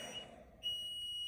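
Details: Basement water heater beside a newly installed HVAC system; shrill, steady electronic beep in short bursts in a quiet room, no flash codes found, cause unknown: water heater alarm beeping.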